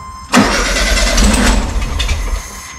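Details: 1972 VW Super Beetle stored about 20 years, fuel pump delivering brown sludge, fed fuel by bottle: turns over, catches roughly about two seconds, then fades out; cranks but won't start.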